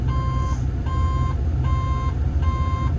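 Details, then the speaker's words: Develon/Mecalac construction machine at diesel idle after warm-up under hydraulic relief load, before a DPF regen: steady beeping about 1 kHz, half-second on, quarter-second off, yet no active diagnostic codes or real-time failures; cause unknown. "why is it beeping and there's no error C that is strange that's generally tells you there's something wrong"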